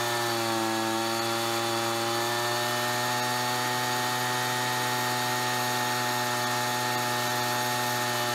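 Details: Ryobi BP42 backpack leaf blower two-stroke, 4 years old, after repairing no-spark, replacing and fine-tuning the carburetor, and redoing the fuel lines: steady high-pitched drone holding even speed, smooth and clean; normal running.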